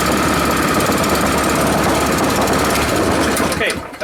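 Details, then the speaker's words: Honda 5.5 HP single-cylinder engine after rebuild, run outside on choke: fast, busy putter holding steady, idling lower; normal running. "Seems to work pretty good. Idle's better than another one. Lower. That's good."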